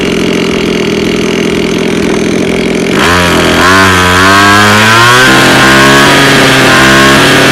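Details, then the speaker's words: Two-stroke lawn mower that is hard to start: catches after a hiss, then speed wanders up and down instead of settling, a rough, uneven idle. "Máy cắt cỏ hướng dẫn sửa chữa khó nổ không đều"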